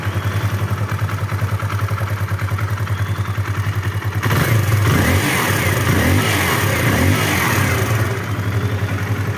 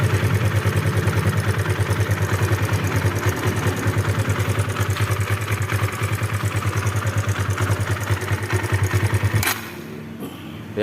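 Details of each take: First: Kawasaki KLX 150 single-cylinder idling with a steady, even thump; the earlier rough ticking from the top end is gone and the engine now sounds smooth and quiet. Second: Kawasaki KLX 150, fairly new from dealer, idling rough with fast "kletek-kletek" ticking clatter over the single-cylinder beat; loose cam chain suspected, cam chain and valve clearance to be checked.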